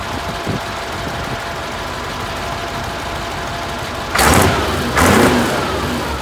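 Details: Junkyard Massey Ferguson 1155 tractor, long parked over a hydraulic issue, just revived: steady diesel idle clatter, then two quick rev blips rising cleanly and settling without knock; healthy.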